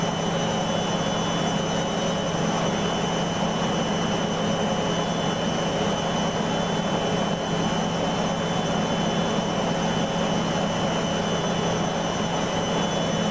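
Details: Beko washing machine, full load of dark clothes, Ariel cap detergent: steady high-speed spin hum with constant motor whine, no beeps or pauses; spins through a suds lock without adding emergency rinses.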